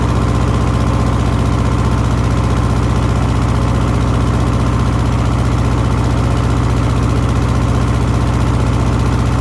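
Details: 1970s Layton roller compactor with a Ford Taunus 60-degree V4, which previously ran about 20 seconds then died (suspected fuel delivery): now a steady, even low idle with no misses or knocks. Fixed and running smoothly.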